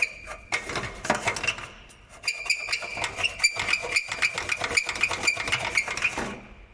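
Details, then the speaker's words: Skoda Octavia A7 (Octavia III), 34,000 km, complaint of harsh creak when braking: sharp metallic creaking in quick uneven bursts as the part is rocked, traced to a loose bolted joint, not the brakes. "Вот такая вот может быть беда с посторонним звуком, именно связанным при торможении."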